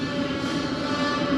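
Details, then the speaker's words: Diesel heater after priming and bleeding fuel line with vacuum pump, smoke from exhaust at first: steady even roar with low hum underneath, no sputtering or popping; normal diesel heater combustion. "well it's definitely working there it's roaring away"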